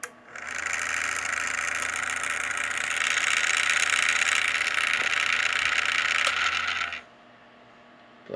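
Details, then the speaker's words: Small fan spinning up with a harsh, buzzing rattle from play in its shaft (worn bearing), vibrating on start; to be disassembled and lubricated. "tá simplesmente com folga folga no eixo aí tá vibrando quando liga"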